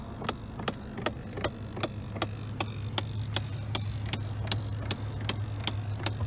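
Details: 2001 Chevrolet Silverado with broken A/C; the clicking started when the A/C was turned on. Recorded under the dash: sharp, even clicks about two or three a second over a low cab hum; the owner suspects a fan in the HVAC box.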